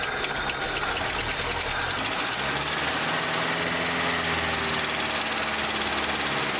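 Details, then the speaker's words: 1967 International Scout 800, first start after revival: engine runs evenly with a fast, light ticking on top and no misfire; likely valve tick, valves could probably be adjusted. "I mean that just sounds like maybe a little bit of valves you could probably adjust the valves out of that doesn't seem to be missing"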